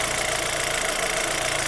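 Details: Chevrolet Zafira 2.0 after replacing the water pump, which caused a loud engine-bay noise, new silent pump and additive coolant: light even ticking over steady idle, no whine or grinding; normal idle.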